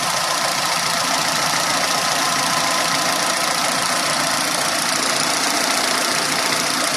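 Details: Renault on LPG after swapping noisy Atiker 3-ohm LPG injectors for Vikars 2-ohm injectors: steady, even idle with smooth hiss and no irregular ticking, injectors quiet and healthy, running slightly improved.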